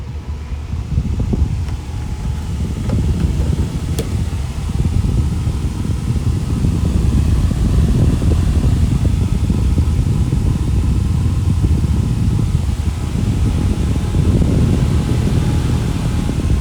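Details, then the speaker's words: Small bathroom exhaust fan after its dry front bearing was oiled runs with a steady low whooshing hum, no squeal or grinding; normal running after the fix. "so it's running like a champ again I gave it oil in the front bearing and there you go it's happy again"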